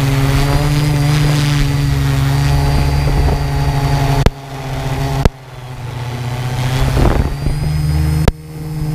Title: strange noise from go pro and quadcopter